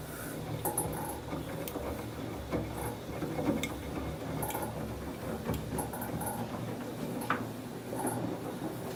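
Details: Samsung WF1124 front-loading washer: the drum rumbles as it turns, with irregular clunks, knocks and an occasional brief squeak. The noise is growing more frequent, at first only on spin and now also during washing.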